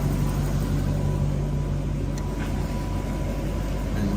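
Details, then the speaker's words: Toyota Soarer/Lexus SC400 1UZ-FE V8 after idle-control fix: smooth, steady low idle with even beat, no hunting or misses, revs picking up as ECU relearns timing; sounds healthy. "You can hear the revs picking up. So it likes that. That's it. There we go. So it's now learning itself. So the ECU is basically picking up timing and everything else where everything is. So that sounds healthy."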